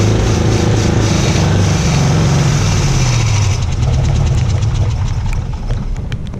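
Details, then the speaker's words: 56-year-old Oldsmobile Rocket 88 V8, stood 20 years, run on fuel poured down the carb: heavy, uneven rumble turning to stuttering irregular pops; rough running with a backfire through the carb. "Don't try that one, that backfired there."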